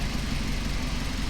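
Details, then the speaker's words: Honda K24-swapped Toyota MR2 with a large muffler, first startup after engine install: low, even, quiet idle with a steady beat and no knocks, ticks or misses; smooth, healthy normal idle. "yep idling pretty smooth sounds good I like it yeah that ain't noisy at all"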